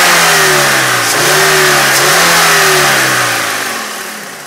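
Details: 1999 VW Passat VR5 Synchro, 2.3-liter 150 PS AGZ engine: a loud, raspy drone rises and falls with the revs, then fades as the engine slows; an abnormal noise of unknown cause.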